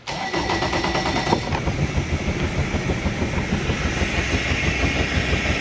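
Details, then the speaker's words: 2017 Mercury 90hp four-stroke Command Thrust outboard in guardian mode with 6-beep alarm: fires up and settles into a lumpy, uneven, shaky idle. Finding: faulty idle air control valve. "Alright, so I changed that sensor and it's saying it's clear now, but then it's still running rough."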